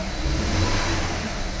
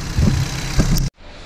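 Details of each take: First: Rebuilt BMW 320i turbo after first start: lumpy running with surging revs and an irregular stumble as one cylinder misses; codes show cylinder 1 injector circuit open and cylinder 1 misfire; suspected coil or stuck injector. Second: BMW 320i turbo, first start after engine rebuild, faults cleared and no dash lights, left to warm up: about a second of steady, fairly loud idle with soft bumps; noted as a noisy engine but idling normally, no misfire.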